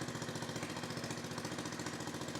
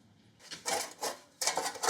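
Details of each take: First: Victa 10-42 / MTD 145-760A lawn tractor, ~50 years old, covers off, no muffler, carb dripping fuel: loud sharp evenly spaced pops at steady fast idle, dying away at shutdown; runs fine. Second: Victa 10-42 / MTD 145-760A lawn tractor, about 50 years old (1970s), found under a tarp, engine turned slowly by hand with covers off: dry, scratchy scraping bursts as rust on the flywheel rubs the ignition coil; fix planned with sandpaper.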